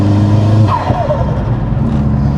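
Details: Vauxhall Astra VXR with a swapped forged Z20LEH engine, cams and a K06 turbo, driven while bedding in the new clutch: a loud, hard-pulling roar whose pitch drops at a shift and builds again under load, with no knocks. A healthy boosted engine.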